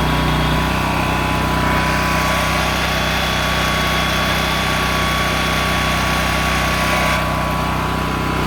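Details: Honda EM6500SX electric-start generator after carburetor cleaning and oil change, loaded with a heat gun through an amp/watt meter. A loud, steady drone holding even pitch with no hunting or misfire. It runs normally under load.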